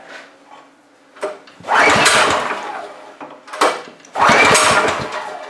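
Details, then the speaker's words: Free pressure washer: no gas in it, fuel off, pulled on starting spray only; each pull gives a short burst of pops that dies without running. "I don't have any gas in it, and I don't have the gas on, so we're just trying to get it to pop with this spray."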